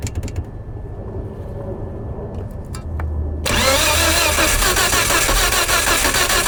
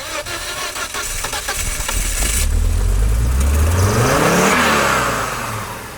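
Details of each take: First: 1998 Volvo S70 flooded after P0116/P0117 no-start, coolant temp sensor and thermostat replaced, plugs cleaned, oil in cylinders: cranking, then on third try it catches and roars loudly with gas pedal held before settling. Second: 1998 Volvo S70, flooded no-start after P0116/P0117 codes, after replacing coolant temp sensor and thermostat, cleaning plugs and oiling cylinders: catches on third crank, then revs hard with throttle held, rising and falling cleanly; starts normally.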